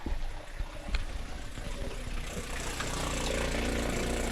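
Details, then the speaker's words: RV fresh-water pump (Seaflow) with tank three-quarters full, owner troubleshooting frequent air sucking: rattly start, then steady motor hum holds as the pump picks up water and builds pressure. "can hear it sucking up water and it's actually going to build pressure right now"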